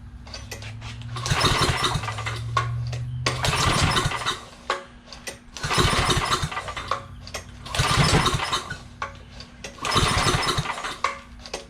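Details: Free roadside generator, recoil pulls on full choke: five pulls about two seconds apart, each a brief chuffing burst that dies without catching; cranks but won't start.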